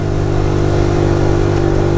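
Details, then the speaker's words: 2020 Tao Tao 50cc GY6 scooter, first ride at about 20 mph carrying a 250 lb rider: the engine drones near full throttle without climbing, cutting in and out and choking. It bogs under throttle, with an air-fuel mixture problem suspected to be vacuum-related after cleaning. "You can hear the power band, but then it chokes on itself. I can feel it cutting in and out, in and out. It's not getting enough gas or it's not getting enough air."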